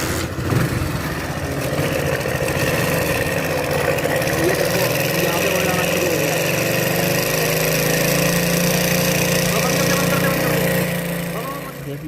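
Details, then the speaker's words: Hero Splendor bike after repair of engine noise and no oil flow (broken timing-chain-related part replaced): single-cylinder idle with steady putter, no top-end tapping or rattle, clean and even; sounds healthy. "हमने काम तो थोड़ा complete हो गया bike का bike बिल्कुल ठीक हो गई है किसी प्रकार की कोई दिक्कत नहीं है"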